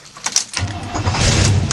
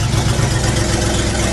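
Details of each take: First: 1975 International 200 3/4-ton 4x4 pickup, fully warm after a morning of driving: shut off without dieseling, then catches almost at once after a short crank and settles to even idle; normal hot restart. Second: 1975 International Harvester 3/4-ton 4x4 pickup, 4-speed, 142,000 miles, cold start in cold weather: loud raspy idle with a fast steady low puffing from an exhaust leak.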